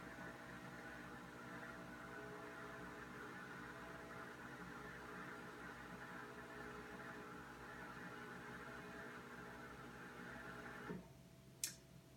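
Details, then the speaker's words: Whirlpool WRS588FIHZ refrigerator bought September 2017: a loud, steady buzzing hum for about eleven seconds while the ice tray fills, then a sharp cutoff. Whirlpool calls it normal; owner suspects a bad part or bad design. "I've had ice makers refrigerators for over 40 years and I've never heard an ice maker make that much noise when all it's doing is filling the ice tray with water so to me there's either a bad part or a bad design by whirlpool"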